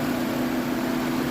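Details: 2015 Nissan Rogue after repair of a cylinder misfire, reassembled and started in hot weather with AC on and cooling fans running: steady smooth idle, even hum, no stumble or skip.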